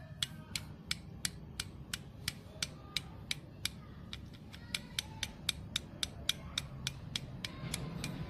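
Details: Honda Activa 5G engine, half opened, first time opened: sharp metallic clicks about three per second as the connecting rod is rocked by hand over a low hum; connecting rod knock from bearing play.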